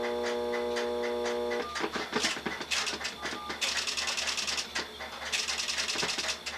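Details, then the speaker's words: Western Electric SXS Strowger step-by-step switch: a steady dial tone, then quick bursts of mechanical clicking and ratcheting as selectors step through dialed digits on a long-distance call outpulsed to an Asterisk system; normal step-by-step switching. "currently calling the central office number long distance, so we're outposting and dial post right now to the asterisk system."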